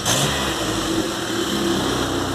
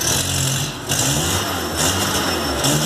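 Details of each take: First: VW Golf MK3 single-point injection, engine warm, after replacing the idle air actuator to fix stumbling at idle: picks up cleanly on the throttle and settles back to a steady idle without stumbling; normal revving. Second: VW Golf Mk3 single-point injection at idle: idle sags and surges with uneven stumbles and misfiring; caused by a faulty idle air control actuator, replaced (DPL 808601) to solve it.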